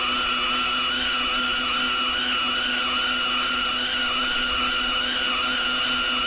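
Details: Lathe turning a 10-inch vertical gearbox output shaft at a heavy feed, before backing off to 0.022 in per revolution: steady loud cutting roar with strained hum and bright hiss that never eases; machine labouring under too heavy a feed.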